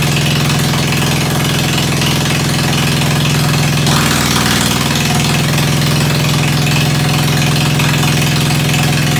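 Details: Ford 100 tractor at the end of a tune-up, started with starter ether on a roughly 40°F day, idling through a straight pipe: loud, even low idle at about three beats a second, no knocks or misfires; running sweetly.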